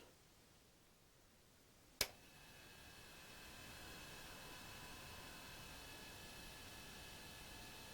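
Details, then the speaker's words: Gorf arcade game powered on after piggybacking chip U23 (MC14539B) on the pattern board: a click, then a steady soft hiss with faint high whistles. This is normal amplifier noise with the volume turned up loud. "now you hear that uh noise in the sound because i got the volume turned up real loud so when it comes on it'll be blasting"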